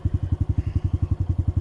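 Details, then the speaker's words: Honda CT125 motorcycle after an uphill trail ride: sharp, even knocks about ten a second at idle with a hard clattery edge, heard near the cylinder; owner suspects the bottom end, possibly crank rod bearing, rather than top end; engine knock. "this is top end of your engine this is the bottom end okay and it sounds like to me it's maybe the bottom but the thing is it's not that expensive to replace that stuff"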